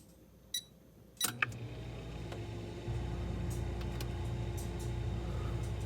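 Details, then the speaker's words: Frigidaire side-by-side refrigerator LFSS2612TF4 after replacing stuck fridge air damper (part 242303001); couple of sharp end-switch clicks then steady motor hum as damper opens normally, no more repeated clicking. "there you go damper's opening right now to allow the air to blow in no more clicking noises just the odd the end switch there The Click just to tell the motor to stop turning"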